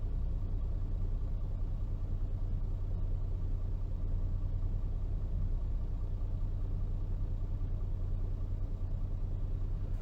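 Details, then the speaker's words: Mercedes-Benz diesel after a fuel filter change, started once the new filter was primed by cycling the ignition three times: low, even diesel rumble at idle with a steady beat and no misses or knocks. Normal idle. "Right now, you just hold the brake pedal and just turn it on. And there it goes again."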